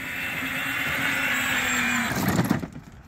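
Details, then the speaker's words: Power Wheels ride-on on 20 V DeWalt lithium packs replacing 24 V battery, carrying two kids about 110 lb at full speed: steady, even motor whine holding pitch about two seconds, then winding down; motors healthy under load. "so this right here I was holding two kids about 110 lb and it was driving it full speed not too"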